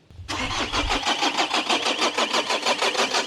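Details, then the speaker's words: Diesel Renault Espace restarting half an hour after running out of fuel and being primed: quick crank, then it catches at once and settles into a steady, even idle clatter; it starts normally. "La voiture a redémarré mais vous étiez pas là pour le voir."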